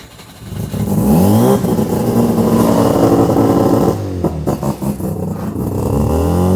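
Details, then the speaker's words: Mazda RX-7 rebuilt rotary, first start after replacing both leaking fuel hoses and wiring the coil pack, not yet broken in; loud, crisp start and clean buzzy revs up and down with no knocks or misses: healthy rotary. "This car's freaking loud. Oh my God. Dude, this is crazy. Oh my God. This thing sounds insane. Now she's actually propping the way an RX-7 should."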